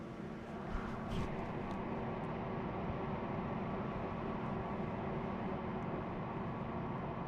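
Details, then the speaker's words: Desktop PC; loud steady airy rush with constant hum underneath, no rattle or grinding, fans at a hefty speed, Q-Fan tuning considered. Fans running at high speed. "It's a little bit noisy with fans. If it was me, and this is just personal choice, I don't know if you can hear this. Those fans seem to be running at quite a hefty speed."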